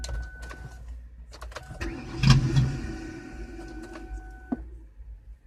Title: Car won't start 'junk'